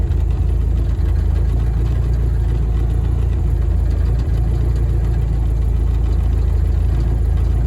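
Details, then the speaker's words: VW-engined Deserter GT dune buggy reusing an old Sachs clutch, idling: a loose, uneven rattle from a worn throwout bearing loose in its mount, which goes away when the clutch pedal is barely pressed. "Um, this is the throw out bearing making noise. Just kind of It must be kind of loose in the mount and it's just kind of bouncing around a little bit or something happening."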